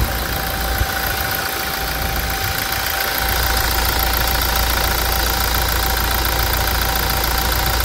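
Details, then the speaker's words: Toyota Hilux diesel at 350,000 km after timing chain replacement: even idle with steady regular combustion clatter and no knocks or rattles, much smoother than before; normal idle. "quem percebeu que o o funcionamento tá muito mais suave agora das outras melodias"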